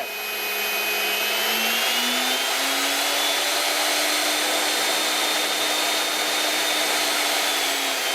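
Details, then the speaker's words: Delta 37-070 jointer motor after repair with its connector legs re-soldered, mounted in a chuck: spins up to a clean, steady hum with no buzz, rattle or hesitation; runs freely and evenly. "It's working like a hot damn."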